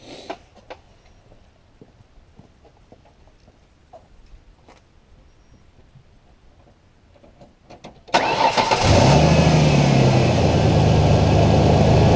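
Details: 2005 Ford Ranger after jump-starting and confirming a good battery, alternator about two months old: short crank that catches at once and settles into a steady, even idle; charging shows about 14.5 volts, healthy start.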